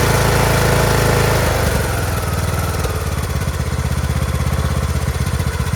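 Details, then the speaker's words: Craftsman T1600 lawn tractor, Briggs 19hp, after cylinder head and head gasket replacement, oil residue burning off: brief rough start, then steady even thump around four beats a second; settles into a smooth, healthy idle. "fantastic such a smooth engine sounds perfect in the beginning it's a little questionable but once it got over that first hump sounds fabulous"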